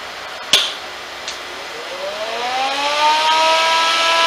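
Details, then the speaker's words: Chicago Electric Dual MIG 131 welder with retrofitted 110V AC 1.1A fan (about 113 cfm), cover off: click at switch-on, fan spins up rising and settling smoothly; normal fan run. "it sounds very much like any welder um I ever turned on and the sound will quiet down just a little bit once the cover is on"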